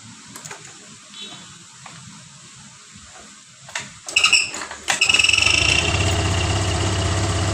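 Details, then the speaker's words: First-generation Honda Vario 125 (old) scooter, electric ACG starter not working, kick-started several times with a rattling noise only during starting attempts, noise gone once running; hard starting, faulty crankshaft position sensor. "Saat di King starter itu ada bunyi the cheat awalnya tapi setelah mesin hidup bunyi indit itu hilang. Tadi saya selah-selah berapa kali akhirnya hidup juga dan ini kalau sudah hidup bunyi itu enggak ada."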